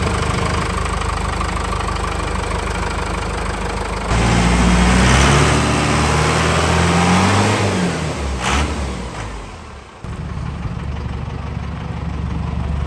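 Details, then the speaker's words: 1984 Chevy K5 Blazer with Cummins 4BT diesel, first start after compound turbo install, custom stainless exhaust: clatters at idle, rises sharply with a rev, then settles to a steady even idle with no knocks or misfires; normal start. "All right, we just finished up the install. We're going to go ahead and fire it up. Let's see how it goes."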